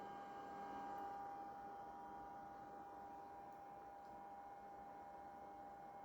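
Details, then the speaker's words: Vintage computer with 6 MB RAM and a configuration mismatch, hard drive on a second try after seeming dead: faint steady high whine over quiet hiss; the drive has spun up and is running normally. "Oh no, it is working. You can definitely hear it"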